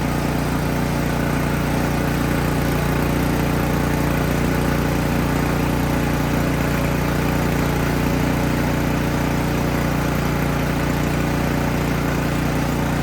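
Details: Craftsman snowblower that used to start then die, after removing and cleaning the carburetor: steady even putter with a firm low note, no misses or surging; small engine idling smoothly and holding its run.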